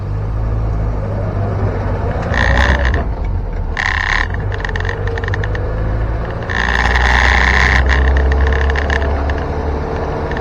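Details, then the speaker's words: 1961 Land Rover Series 2 109-inch four-door station wagon, driving: bursts of loose metallic rattling over a low engine drone. The tailgate rattles around and needs better rubber bumpers. "It's the tailgate rattling around. It just needs better bumpers, rubber bumpers."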